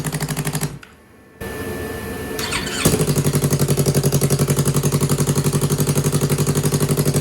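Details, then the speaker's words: 2015 Yamaha R3 twin engine, revived after a year without running, after letting it warm up: after a brief cut-out it settles into an even, steady idle near 1,500 rpm with both cylinders firing cleanly; normal idle. "Sounds so nice. Yes. This sounds like both cylinders."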